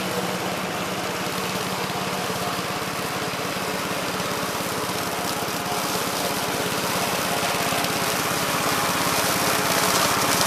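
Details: 1969 Gravely C8 tractor, morning run after no-high-range repair: steady single-cylinder putter about three and a half beats a second, even and unbroken. Healthy running.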